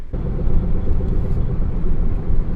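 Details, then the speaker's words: 2007 Ford F-150 5.4 V8 4WD, 200,000 miles, on test drive at 25–30 mph: steady low hum, louder when steering left, stops steering right; driver's side front wheel bearing suspected. "ll right let's go test ride and you can hear the humming noise already a little bit when you go to about 25 30."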